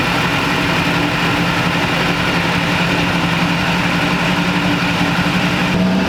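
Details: 20-year-old Duramax diesel pickup, recently new injectors, cooling system just opened and topped off, sat a while; smooth low drone with regular clatter, no whistles or misses, no boost leaks heard; normal idle.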